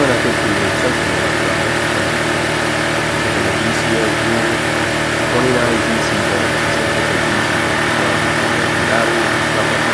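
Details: Honda EB1400X generator, 107cc 3HP engine, after carburetor cleaning and fuel tank cleaning, started with a drill as starter: steady, even drone with smooth hum and no knocks or misses; idles cleanly and runs right.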